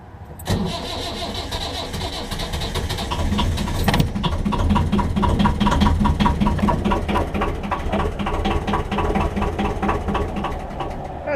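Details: 1.5 BMC diesel narrowboat engine, glow plugs primed at least 60 seconds: cranking gives way to uneven, stumbling firing that never settles. Hard starting happens every time; glow plugs are being changed to improve starting.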